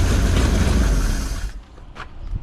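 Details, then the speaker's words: 1940 Mercury Eight V8 stored since the 1970s, first start attempt with fresh gasoline and fuel line fed to pump: heavy, uneven low rumble catches for about 1.5 seconds then dies, a backfire on first start; unclear whether fuel is reaching the carburetor. "I just shut that off. Oh my God, it started. My 1940 sitting since 1977 just that just started."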